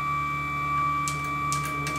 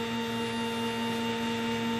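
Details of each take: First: Sieg X2 mill with a CNC Fusion Z-axis conversion, after new motor mount bearings and realigning the motor mount: a steady stepper whine while jogging, with the ball screw chattering near the top of travel, possibly low on oil. Ball screw chatter from misalignment. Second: Sieg X2 mill CNC-converted (CNCFusion-style ball screw kit) with NEMA 23 425 oz-in closed-loop steppers: after cleaning and oiling the ball nut, new motor-mount bearings and alignment, the Z axis jogs at increased speed with a steady, even stepper whine, no grinding, much quieter and healthier.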